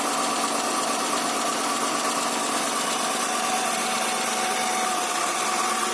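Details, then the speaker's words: Honda Accord 2.3 V6 after rear main seal replacement, first start with engine reinstalled: constant even idle with faint whirr, no knocking or ticking; running smoothly, slight oil leak remains. "so there it is the engine is running right now probably have to feel sufficient real pressure going to run it sounds good"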